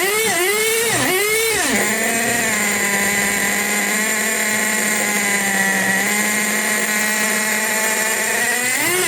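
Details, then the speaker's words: Tamiya Nitrage 5.2 1/8 nitro truggy, built in 2008, first start out of storage: revs blip, then a steady high buzz that never clears crisply; running rich, owner suspects stickiness from sitting and plans to lean it half a turn. "it's it's it's Rich it is Rich it is Rich it is running rich but you know maybe the car's just a bit sticky but just from sitting"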